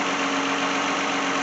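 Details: 2010 Lexus in for no-start, customer wants alternator replaced; jump-started, alternator output 13.9 V: smooth even idle with constant hum, no knocks or misses; engine running normally and charging.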